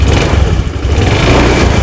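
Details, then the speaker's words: Honda Scoopy fuel-injected scooter after fitting a new spark plug: engine catches and runs with a steady low thrum and smooth rev rise, no misfire or stumble; the weak old plug was the no-start cause, now fixed. "oke teman-teman ternyata masalahnya ini dari busi busi guys pasang B"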